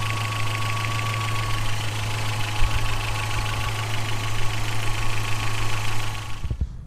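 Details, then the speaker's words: 1986 Toyota 4Runner with replaced engine, first fire-up; steady idle with faint fast ticking clatter over the hum, rockers already adjusted twice but need readjusting again. Valve train clatter from loose rocker adjustment. "adjust of the rockers twice but I need to do it again there is a little flatter"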